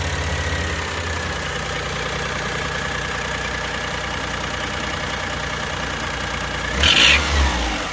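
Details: 2005 (H17) Daihatsu Atrai Wagon Custom Turbo R S320G, 170,000+ km: loose uneven puffing tick over hissy top end while running; fades once warm, returns after restart. Exhaust manifold leak from broken manifold bolt.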